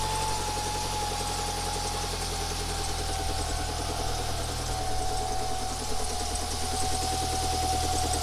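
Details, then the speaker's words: Lancia Delta Integrale engine just refitted, idling: fast light rattle about four taps a second; cam belt cover fitted inside its bracket lug instead of outside, rubbing on the cam pulley. "you heard the rattling on this end the engine well I think that was the cam Bell catching on the cam wheel"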